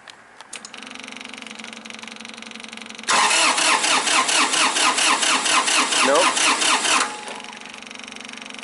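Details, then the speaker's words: 2005 Massey Ferguson tractor, Japanese-made three-cylinder diesel; steady cranking about four seconds without catching; no-start suspected from shutdown coil on the high-pressure injection pump not working, so pressure isn't building. "what if that coil itself isn't you know doing its thing and the pressure just isn't building so I think that might be our issue"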